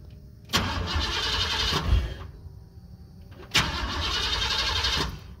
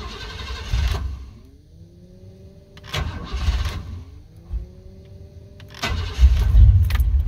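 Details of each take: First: 1988-1998 Chevrolet C1500 pickup, fuel pump kicks on; two steady cranking bursts, engine never fires after heavy rain, cold then hot humid weather. Crank no start; owner suspects moisture condensation in distributor, unconfirmed. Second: 1988-1998 Chevrolet C1500 V8 pickup with 246,000 miles on the original cap and rotor, after ignition repair for a crank-no-start that began following rain and humidity: long cranking bursts, then catches into a steady, even, deep idle; slow start due to prior flooding.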